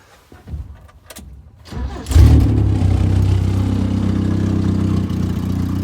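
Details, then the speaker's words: Toyota Wolverine running after fuel pressure regulator work: cranks and catches, runs well briefly, then turns choppy with a low, lumpy, uneven run that won't smooth out; choke flap stuck shut with its spring missing. "runs good for a little bit is kind of choppy"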